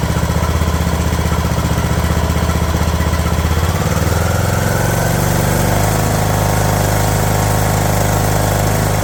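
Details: Craftsman LT2000 riding mower engine, idle lowered after the throttle linkage was straightened: the thump drops to a slower pace after about four seconds, then holds an even, settled idle with no hunting; normal idle.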